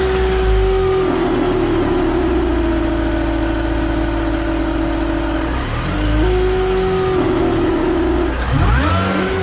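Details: BMW Mini Cooper R53 after supercharger refit: steady whirring note over the engine, present through all rev ranges for 12 months; supercharger whine from oil starvation, caused by a collapsed oil tube from rocker cover to supercharger.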